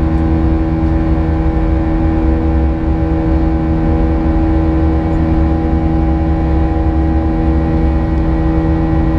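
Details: United Airlines A320 climbing out of Houston IAH for NYC LaGuardia, recorded in the cabin: steady buzz-saw engine drone with a constant high tone riding over it from 1:33 until level-off; cause unknown, and the uploader heard it once before in an exit row.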